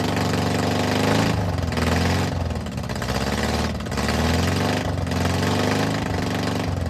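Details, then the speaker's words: VW Bus flat-four neglected about 30 years, just first-started after cleaning out mouse nests, exhaust removed: very loud, raw, rasping bark with uneven rhythm and surging revs. Engine running without exhaust. "Yes, man. That is loud without an exhaust on it."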